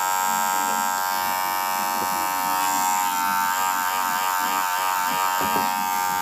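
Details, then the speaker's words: Wahl Senior clipper: steady high buzz with an uneven rattly edge, noisier than normal; abnormal running noise, owner suspects a worn blade needing replacement. "é normal esse barulho Russo Braga não é normal isto deve ser a lámina precisa ser mudada esta lámina já está com algum desgaste"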